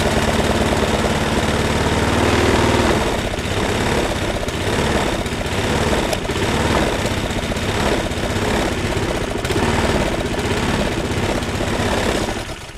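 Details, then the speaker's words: Mountfield M36PD 21-inch lawnmower with struck, bent blade, just fired up after repairs: loud rough running with a shaky pulse about four times a second; owner suspects possible bent crankshaft too. "it's got a bit of a shake to it which I'm a bit concerned about but it runs it's got a carbon definitely say the blades been struck which is a bit of a concern so have to check for a bent crank and what have you"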